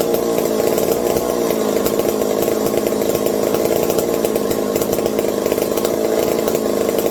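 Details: McCulloch 740 two-stroke chainsaw after coil gap fix and swapped spark plug replacing flooded one: crisp steady buzz at high revs, no bogging or sputter; linkage holds about quarter throttle, owner fears lean running/air leaks; normal running.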